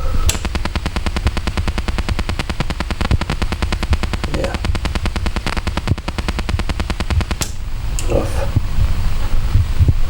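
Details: Sansui AU-9900 integrated amplifier (1975-77), after Part 4 recap: rapid irregular low popping and crackling through the speaker at any stage, even with tone controls off; shot noise from aging preamp transistors, fixed by recap and replacing 2SA798 with KSA992, 2SC1313/2SC1708 with KSC1845.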